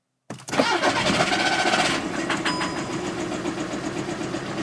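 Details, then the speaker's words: 2014 VW Passat TDI, 109,000 miles, bought as no-start with shop-claimed blown engine: brief crank cuts off abruptly with a hard clunk, something popped, engine died immediately; mechanical binding suspected, cause unconfirmed. "all right guys so I don't know if you heard that on the video um immediately died like kind of like what the guy was saying he's driving along all a sudden just goes just engine stops"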